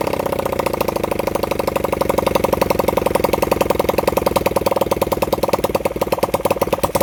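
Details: Honda CB100N single-cylinder motorcycle after over 20 years off the road, jump-started from a weak battery; uneven, stumbling firing at a fast idle. Rough running; the owner says the carburettor was in a bad state.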